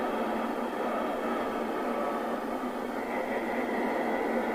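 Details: 1981 Nato 40FM CB (Cybernet PTBM002F chassis) after replacing the LA4422 audio IC and six capacitors: steady, even hiss through the speaker with clean cut-off in lows and highs; receive audio working normally.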